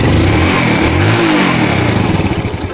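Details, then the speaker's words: Yamaha Vega ZR motorcycle previously misfiring (brebet), ignition wiring checked, after fix: small single revs up smoothly under load and eases off with a steady beat, no stutter; pulls cleanly. "oke mas bro tarikan pertama anteng motor terasa enteng juga"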